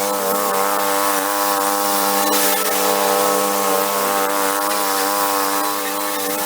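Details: 1991 Craftsman GT twin-cylinder garden tractor, rescued and revived, test running after repairs; steady, even engine drone at constant speed with a smooth buzz, quiet compared with a typical buzz box, no knocks, rattles or surging: normal running.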